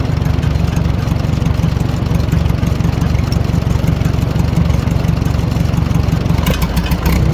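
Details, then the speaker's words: 1940 Farmall H with M&W 9-speed, idle during distributor timing adjustment; steady low thumping about three beats a second, no popping or stumbling. Bad timing was a big cause of earlier poor running; carburetor may need work: normal idle. "so it's running pretty good the carburetor probably needs G through but I'm going to tell you right now those that timing was definitely a big issue as to why this tractor was running bad"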